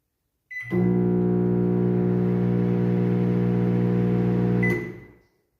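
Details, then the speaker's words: Microwave oven running: loud, steady buzzing hum with a coarse rattle throughout. Such noise is usually the magnetron, otherwise the high-voltage diode or the transformer. "tá fazendo um barulho estranho. Esse barulho geralmente é 90% é magnetron."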